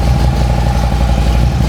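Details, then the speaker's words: 2008 Harley-Davidson Street Glide, 96-inch, six-speed, warming up after startup, spit-and-sputter complaint: lumpy uneven V-twin idle with occasional stumble and spit; suspected intake manifold seal leak, later found at front cylinder. "So, this bike's starting to spit and sputter. Customers concerned about it. And so, my first inkling would be to check the intake manifold seals."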